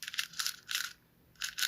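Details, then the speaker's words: Hand-turned gearbox removed from the BC2x4 after it was slipping and not turning: bursts of dry crackling clicks, then a pause where it sticks, suggesting internal gear damage; cause suspected, not yet confirmed. "oh that's cracking should not sound like that and it's actually stuck there"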